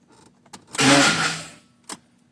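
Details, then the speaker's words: 2010 Ford F-150 intermittent no-start: key on, delayed brief starter crank then abrupt cut-out, no start, consistent with PCM losing power; code P060A, heavy corrosion found on positive battery terminal. "and that's what it does it it'll kick out the start"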